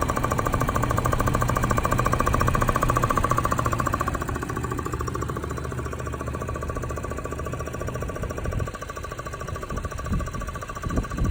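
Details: Engine running after a timing chain guide job: fast, steady thumping knock, almost like a jackhammer, about three to four beats a second.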